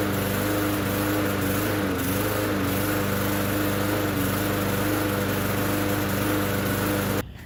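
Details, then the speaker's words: Bolens mower bought as a non-runner that started then died; small single-cylinder engine runs a steady, slightly uneven beat about seven seconds then cuts out; water seen in fuel, owner suspects water in carburetor, cause unconfirmed. "but i just tried uh pulling it and it did start up but it died so we'll see what's see if we can do this again"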